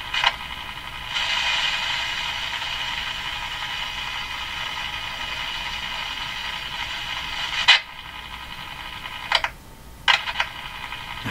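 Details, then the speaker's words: Canadian Westinghouse Model 577 radio after the power supply filter capacitors were replaced and the low B+ fixed: steady hiss and crackle with clicks while tuning, no stations received; the rubbing-plate theory didn't pan out and dirt is suspected. "I need a new Theory a rubbing plate Theory didn't seem to work very well and we're not getting any stations here"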